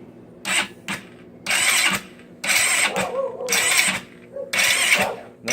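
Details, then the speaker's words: GY6 scooter engine after timing chain (46 link) and valve adjustment, starter fluid sprayed at the carburetor, battery nearly flat; repeated one-second starter whirring bursts with no firing, it spins with spark but won't start. "It's spinning. It's going forward, it's getting spark. We just don't understand it."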